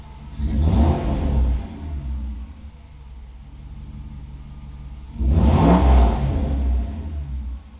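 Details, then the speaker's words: Freshly installed Mercedes M119 V8 with only exhaust manifolds and cats fitted, oil pressure present: two crisp throttle blips rise and fall smoothly over a deep, even rumble with no knocks or misses; normal revving. "going to start it up going to give it a few revs alrighty now we have just the cats on so i'm going to start it up again give it a few revs"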